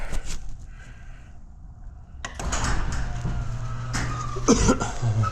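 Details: Quiet, slow garage door opener in a 1973 Comet/Maverick build garage: a low, steady hum starts midway and runs evenly with no grinding or clunking; working normally.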